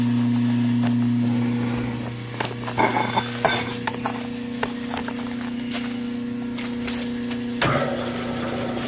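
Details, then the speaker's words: Hardinge TM mill, original motor (possibly Hardinge-badged) with step-pulley belt drive, heard down in the base: steady quiet low hum, even whir, few handling clinks; motor runs really smooth and quiet. "Well, there's the uh, the motor function. You can hear how quiet it is. It's the original uh, motor."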